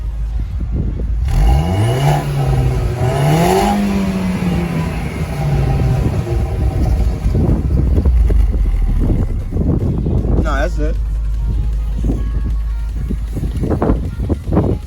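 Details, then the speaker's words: Audi A4 B6/B7 1.8T with cheap catless downpipe, resonators, muffler and aftermarket blow-off valve, recorded on flyby outside the car: engine note climbs as car revs and passes then fades; deep steady exhaust, no leak puffing or ticking. "and it sounds it sounds nice man and i have an aftermarket blower valve it's not bad this car sounds really really good"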